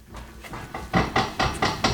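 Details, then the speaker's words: BMW E46 M3 on jack stands: quick string of hollow clunks, roughly four or five a second, growing louder, from the rear driveline; owner suspects a wheel bearing or guibo, cause not pinned down. "so maybe that's the noise I was hearing felt a little more dramatic when you're driving and the car feels louder"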